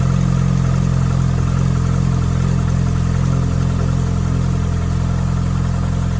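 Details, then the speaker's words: 1996–2001 Hyundai 1.8/2.0 engine started after reassembly with the throttle body mod. It catches and settles into a steady, even low idle with no lifter tick or knock. Normal idle. "sounds good yes it does I would just let this uh bleed like I said if yours happens to tick or anything"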